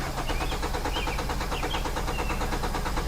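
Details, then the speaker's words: 2010 Hyundai Sonata crank no-start: starter cranks at a steady, even chug and the tachometer moves, but the engine never catches; the cause was a failed fuel pump. "So I'm cranking the engine over, it doesn't start, and my tachometer moves."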